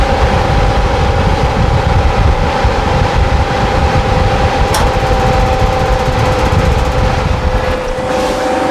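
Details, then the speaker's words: RV furnace test-fired after repair, thermostat wires jumped; the suspected fan motor was not replaced: steady rushing blower with a constant low hum and no scraping, sounding much better now; normal furnace running. "she lit right up. Sounds much better now."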